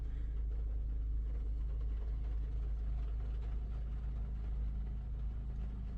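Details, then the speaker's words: 2021 Maruti Brezza petrol, 50,000 km, after engine overhaul for suspected bent connecting rod, light rain falling: soft, even low hum barely audible, no knocks, misses or rattles or vibration; so smooth you can't tell it is running. "गाड़ी में बैठ के नहीं बता सकते कि गाड़ी start है इतनी स्मूथ हो गई समझो"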